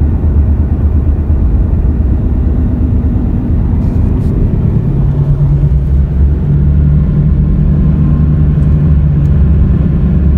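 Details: Car rolling after front wheel bearings replaced; deep steady droning roar from the rear under road noise, owner ~90% sure not front-related, two bad rear tires; defective tire roar.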